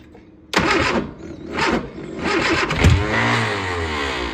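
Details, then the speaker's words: Old Austin Mini Cooper with an old MSD ignition fitted: it cranks briefly, then stumbles and catches with rough surges into uneven running, firing only with throttle pumped. Hard starting before distributor adjustment. "Oh, it looked like it wanted to start. Let me put. Hold up. Hang on."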